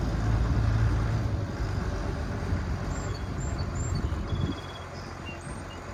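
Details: 6060 tractor with loader, started with a little ether, driven off a trailer: deep, steady diesel chug fading as it pulls away, no misfire or knocking; strong power, no blow-by; normal running.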